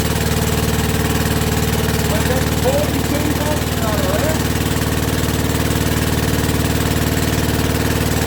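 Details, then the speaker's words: Rebuilt WW2 generator's small petrol engine at first start, quarter choke, original piston now warm, petrol tap leaking; steady even low chug with no misses, knocks or hunting, and no smoke; normal idle. "is absolutely splendid. And she's not smoking, look. Not smoking at all, even with that warm piston."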